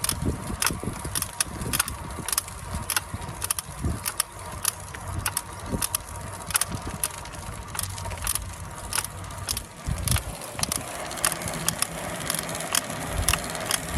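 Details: Trek Domane+ SLR7 Gen 4 e-bike, 6 months old at about 6,500 km; sharp clicks and creaks about every half second from the motor/crank area, mostly uphill in turbo mode; Drive Unit overcurrent error 0408 twice; under warranty claim.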